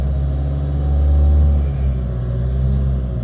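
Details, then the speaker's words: Nissan Qashqai after a fuel filter change and priming the pump: a smooth, even drone held at about 2000 rpm with no misses or knocks. Normal fast idle after the restart. "let's see if it starts and say it's running so I'm going to just bring it up to just about 2,000 revs let it sit there for a minute"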